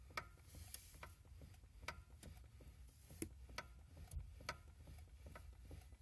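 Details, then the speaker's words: Lada Granta, 6,339 km, engine running, electric power steering: faint irregular sharp metallic crunching ticks roughly every half second over a low hum, heard periodically; owner suspects the EPS unit knocking metal on metal. "электроусилитель руля тухнет вот звук как похрустывает начало подх простыть Ну вот периодически его слышно"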